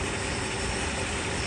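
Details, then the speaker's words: Mercedes S420 V8 at about 106,000 miles, idling with three blown oiler tube caps temporarily replaced with used tubes: steady, even idle with no timing chain slap from the front, chain likely healthy; an exhaust leak is present. "I do not hear timing chain slap. That's a really good sign."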